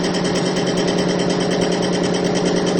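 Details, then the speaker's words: Extreme-pressure bearing test rig, diesel fuel with Bitron treatment under 300–350 lb load (plain diesel failed near 50 lb): steady, even motor hum with no knocking, grinding or squeal. It gets quieter as the test goes on and does not seize. "can hear it's actually getting quieter and quieter the longer we go in this test"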